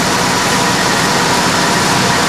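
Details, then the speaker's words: 1995 Ford F-250 4x4 V8 on a cold start after spark plug wire replacement: strong, even idle with a steady rumble, no misfire or ticking. The firing order sounds right, and the earlier tick from the arcing number-three plug boot is gone. "well it certainly sounds and feels like I got the firing order right which is nice"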